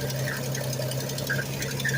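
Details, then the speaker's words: 1965 Ford Mustang six-cylinder at idle; even hum with short high chirps breaking through now and then; belt squeak suspected, possibly the never-changed alternator internally, not confirmed. "oh that's the belt possible alternator making that noise yep i can hear it"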